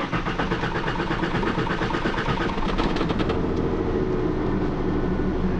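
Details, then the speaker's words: 1996 Ford F150 with random shutdowns at stops (P0320), fuel pressure test on rear tank: steady cranking catches quickly into even low idle; about 10 psi as specified, fuel ruled out, distributor PIP sensor later blamed. "it's running and the pressure indicating there it looks like it's about 10 and that's what they're calling for"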